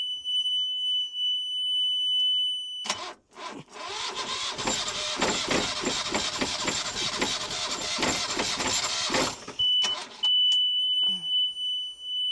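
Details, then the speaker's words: Yanmar 2GM20F diesel newly installed in a Prout catamaran, seawater pump just primed with water: engine runs with a loud, harsh screech over the diesel knock; belt slipping on a seized raw-water pump, found solid when removed. "That pump's just spinning. It's the pump's not working. Right, let me slacken it all off. I've got to see why the pump ain't spinning. Else it'll just end up burning the belt out."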